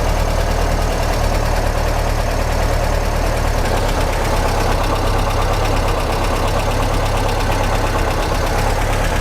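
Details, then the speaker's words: 1955 Porsche 356 Pre-A Speedster flat-four at operating temperature after carburetor balancing: even, smooth idle, a tad high, set where the generator light turns off at idle, no misfires or hunting; carbs sound balanced, normal idle. "yep that looks pretty good our Idol is a tad high but it's right bout the point in which the generator light is turning off at idle so that's about as low as I think I want to go"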